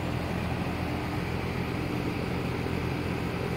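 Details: 2.5-ton Goodman GSZ13 heat pump condenser, outdoor unit at startup in heating mode: smooth, steady whoosh and low hum with no rattles, scrapes or rising whine; running quietly and normally.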